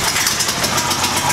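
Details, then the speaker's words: New Harbor Freight Predator 9000 watt generator, first push-button start on choke with a full 8-gallon tank and fresh oil: catches right away into a quick, even pulsing run with no misses or knocks, quieter than expected. "and man it was a lot quieter and I thought it's loud but it's not as lies that's expecting some of the reviews that it was loud"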